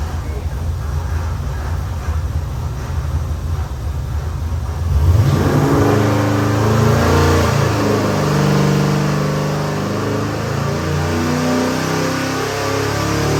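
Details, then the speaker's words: Custom-built Chevy LS 427 (LS3-based, twin Holley 1000 CFM 4150 throttle bodies, CVF pulley kit) for a '71 Chevy C10, final dyno pull under load; deep even V8 rumble climbing smoothly in pitch, no knocks or misses; normal running, made 632hp/589 lb-ft. "This is the LS 427. It is gorgeous and it runs great."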